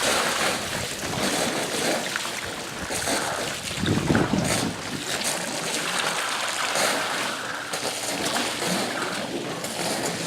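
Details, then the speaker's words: Pool solar return line (2-inch PVC) at pool opening, just after the pump was primed: rushing water with a bubbly gurgle swelling midway, then steady shushing; trapped air is purging through the line. "really hear that one gurgle huh and these just actually keeps shushing and don't don't get affected there this lower pressure until everything picks up again that's a lot of air folks"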